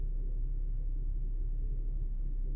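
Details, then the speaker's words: Infiniti QX70 (2015), 123,000 km / 77,000 mi, after valve clearance adjustment for tight valves causing shaking and misfires; timing chain stretch not critical: very quiet, smooth low hum with no stumbles or ticking; normal idle. "Двигун шепче, не шелохнеться. Красота."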